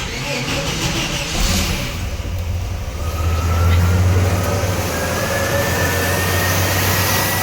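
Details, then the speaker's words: 1989 Chevy S10 4.3 TBI V6: uneven lumpy idle with low shudder pulsing few times a second, vibration at low rpm; owner suspects a misfiring cylinder, running rich or ring wear letting gas into oil. "so it's possible I have one cylinder that's misfiring as well and that's what's causing the vibration but sorry now my main concern is vibration at the low rpms and the poor idle the gas possibly getting into oil"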